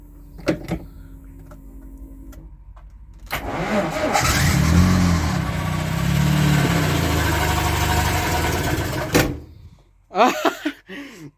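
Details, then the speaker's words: VAZ 2106 (Zhiguli) after two days charging a flat battery, fuel system and wiring connected, ignition on and fuel pump running: starter churns briefly, engine catches and runs rough about six seconds, then dies abruptly. Owner suspects petrol running out. "ладно он завелся но сразу заглох так попробуем еще развести да возможно бенз кончается"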